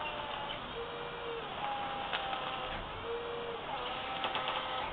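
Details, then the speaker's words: 2005 Toyota MR2 pressure-sensing electric power steering pump fitted in the front wheel well of a 1966 Ford Fairlane: soft, even whine stepping between two pitches with load changes, no grinding or groaning; normal electric power steering pump operation. "i'll turn it on you can hear how quiet it is okay i'm gonna turn it on there it goes super quiet this power steering works super awesome"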